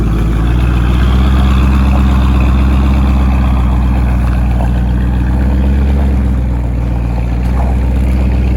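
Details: 1970 Ford F-100 Stepside pickup, old motor fired up: deep, steady V8 burble with an even low rumble, no knocks or ticks; quiet, healthy running.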